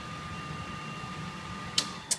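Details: Steady hum with a thin constant whine and two sharp switch clicks near the end as a 6 kW AVS single-phase to 400V three-phase converter settles back to idle after load is switched off; idle current about 1.5 A at 240V.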